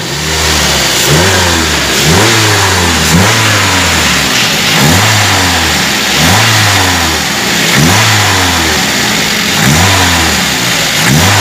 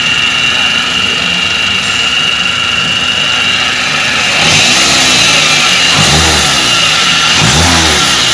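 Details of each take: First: Toyota Avanza petrol engine blipped after replacing a bearing to cure a loud whine on acceleration; pitch rises and falls cleanly, the whine now gone. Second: Toyota Avanza with a harsh whine under acceleration: a steady high whine over the petrol engine grows as it is revved. Loudest at the upper idler pulley bearing, which was replaced.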